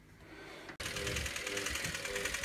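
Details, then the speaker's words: Westinghouse Mastermind LF700B washing machine in test mode trying to drive the motor: steady electrical buzz and high hum, drum won't turn even when nudged; motor energised but stalled. Machine stopped mid-cycle with unbalance fault, motor previously ticking. "So you can hear that buzzing. But it won't turn. If I give it a nudge. It still doesn't want to go."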